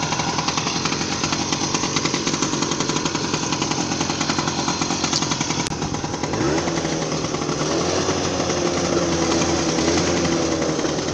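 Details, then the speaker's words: Two small two-stroke Manet Korado/Puch-type mopeds buzz together with a sharp, raspy popping edge, then one cuts out, leaving the quieter one. The louder bike has an exhaust leak. "This one is considerably quieter, but that one's got an exhaust leak, so that'll"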